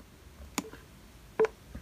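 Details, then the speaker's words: ThinkPad T470s laptop: two short mid-pitched beeps as the faulty built-in keyboard registers multiple keys pressed at once; restarting and reinstalling Windows didn't fix it, pointing to keyboard replacement. "you hear that that is because multiple keys are being pressed that can't be pressed at the same time so the keyboard is probably trying to press all the keys at once or something or something like that"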